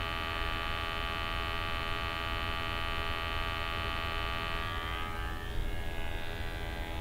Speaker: now you can hear the sample pump running but that doesn't necessarily mean that it's drawing in a sample